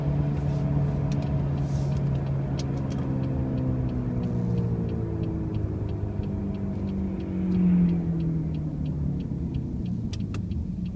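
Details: 2005 Pontiac Grand Prix with brand new wheel bearings and new tires: a loud low droning rumble under the road noise that falls and rises with road speed; a loud noise while driving, source unclear.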